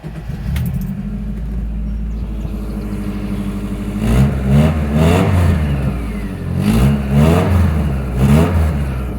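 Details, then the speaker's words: 1992 VW Westphalia Type 3 bus, about 70,132 miles, pre-purchase inspection: fuel pump primes, starter turns briefly, engine catches and runs steady low rumble with a few smooth blips; normal healthy start and idle. "Sounds like a VW, doesn't it?"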